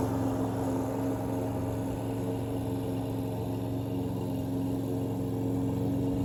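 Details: Troy-Bilt self-propelled mower after carburetor needle seat repair, cutting grass: steady even drone holding pitch, no bogging or surging; healthy under load.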